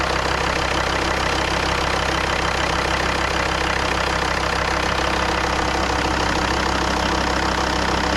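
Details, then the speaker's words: Volvo XC90 D5 diesel, first start after timing belt and water pump replacement and coolant refill: even, steady diesel clatter at idle with no knocks, squeals or misses; sounds perfect. Normal idle. "sounds perfect"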